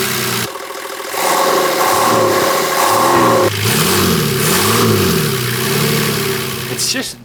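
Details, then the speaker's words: Patrol after about 50,000 km, with $30 DIY intake muffler mod fitted: engine blipped twice, smooth rise and fall with muted, even intake roar, no odd noises; induction noise much reduced, healthy. "dulled the induction noise down. It muffles it down a lot. So, it's much nicer to drive."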